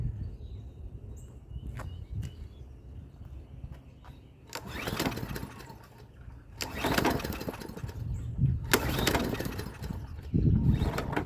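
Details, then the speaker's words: Free Hyper Tough 20-inch push mower, sputtering bursts that surge and sag, never settling, runs rough and nearly stalls; gummed-up carburetor suspected, not heard priming. "Oh, it's still acting up. We got to spray some WD-40 on that thing."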